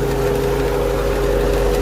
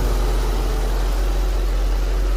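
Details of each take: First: Infiniti M45 VK45DE V8 at idle: steady whirring hum over engine note, louder when touched, from the belt idler/tensioner pulley which vibrates heavily and wobbles; worn pulley bearing, replaced with new tensioner pulley. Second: Infiniti M45 VK45DE at idle after replacing the noisy idler/tensioner pulley and a drive: smooth, steady low idle with even rhythm, no chirp or whine from the belts; pulley noise gone.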